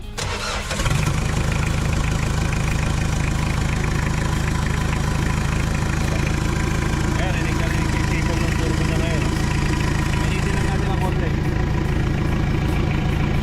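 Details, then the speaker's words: Mitsubishi Adventure diesel with an adapted turbo on a stock engine internally, first start: quick crank and catch, then a steady idle with a faint whistle rising on light revs; turbo sounds healthy. "Pakikinggan natin kung ano ba tunog nung naka-turbo na Adventure na internal niya is stock lang."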